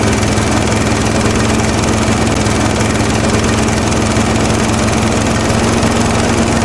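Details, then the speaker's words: Toro Timemaster mower after blade spindle, shaft, spacer and bearing repair: loud, even engine drone with steady blade whir, no knocking, wobble or bearing growl, some exhaust smoke burning off spilled oil; runs smoothly. "Alright, so I call that a win."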